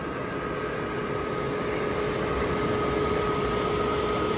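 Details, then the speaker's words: Suburban SF-42VHFQ propane furnace from a 2023 park model, bench-tested (complaint: won't stay running): after shutdown the blower runs a cool-down cycle to purge the combustion chamber; steady, even fan rush with no knocks or scrapes, normal. "it has a cool down cycle to purge the combustion chamber you all gases so this is normal after you uh turn off the uh the furnace for it to uh for the fan to run for a while"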